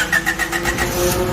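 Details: Honda with D15B petrol engine, earlier no-start from weak fuel pump pressure: brief rhythmic cranking, then the engine catches and runs steadily; starts normally.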